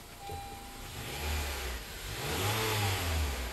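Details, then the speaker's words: 2017 Honda Accord after installing a new drive belt with the tensioner to cure a whining noise at startup: the engine revs and settles cleanly with no whine; the belt drive sounds quiet. "let's do the final test let's start it up okay let's see and boom no more noise guys"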